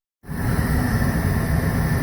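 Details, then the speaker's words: Goodman furnace that was short cycling, after draining water from the inducer motor, likely blown down the exhaust pipe in a snowstorm; steady, unbroken burner and inducer fan rumble with no cycling off. Normal operation after the fix. "that was it running smoothly now for the last few minutes or more short cycling"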